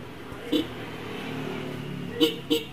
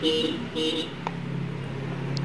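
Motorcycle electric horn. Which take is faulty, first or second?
second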